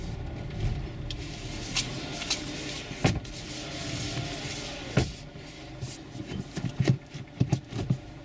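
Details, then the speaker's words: Mazda CX-3 front suspension: irregular dull clunks from the front when creeping, turning the wheel left-right and reversing, as if the coil spring resettles; owner suspects coil spring or McPherson strut top mount bearing, cause not confirmed. "natomiast załóżmy wjadę po kręcę kierownicą lewo w prawo i znowu cofam i znowu jest stuknięcie ci tak jakby sprężyna na nowo się znów układała"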